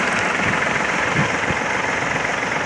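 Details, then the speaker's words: Kubota L-205 mini tractor diesel, started after glow-plug preheat in neutral with clutch pressed: steady, soft idle with an even beat and no knocks or extra noises, running very smoothly. Normal idle. "работает ровно очень мягко двигатель работает вообще отличный трактор"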